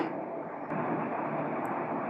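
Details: 12 V DC solar ceiling fan running at high speed, drawing about 1.5 A, roughly 18 W; even, steady rush of air with no rattles, ticks or wobble; runs normally.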